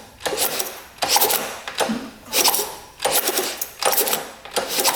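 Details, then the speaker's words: Motorcycle bought at auction, kicked over about once a second: harsh metallic clatter and rattling from the top end; cam wobble or a junk top-end bearing is suspected. "Doesn't sound good at all. Something's not right in there. That does not sound good at all. I wonder if the bearing in the top end is just junk."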